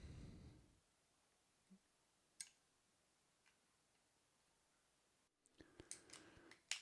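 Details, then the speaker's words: Shimano RSX A410 brifter after disassembly, degreasing and regreasing (3-speed side repaired); crisp distinct ratchet clicks in short bursts, shifter indexing cleanly and working. "all right well that's uh nice and working can't do anything more so thank you for listening"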